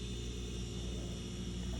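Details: Refrigerator not cooling (freezer at 58°) after replacing failed compressor start relay and capacitor: steady low even hum, compressor starting and running normally; temperatures then dropped to 14-18°.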